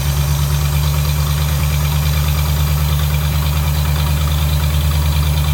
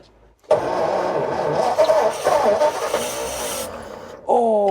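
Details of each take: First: Vintage Ford flathead side-valve V8 first started after 30 years sitting in a barn, fuel being pulsed in: deep, steady low rumble with an even firing beat, no knocks or misses; normal idle. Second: Vintage Ford flathead V8 barn find, sat about 30 years, cranked on the starter button; a few stumbling firings, then it fades and nearly catches without running. The fuel union is weeping, likely from old dried fibre washers.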